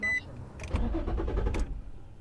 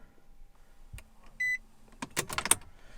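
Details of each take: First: Infiniti G35 coupe, first start after fuel sender fix with air possibly left in the fuel line: the starter churns about a second before the engine stumbles and catches. Hesitant, slow start. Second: Infiniti G35 coupe after fuel sender work, key on to purge air from the fuel line: a chime, then a low electric hum for about a second before clicks as the pump stops once pressure builds. Normal prime.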